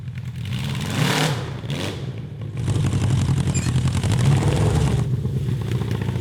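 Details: CB750 750cc cross kart engine, stock carburetors with drilled emulsion tubes: revs up but stumbles and crackles unevenly, never pulling cleanly; breakup under heavy load above 7,000 RPM, worse after change; lean or rich carb suspected, not confirmed.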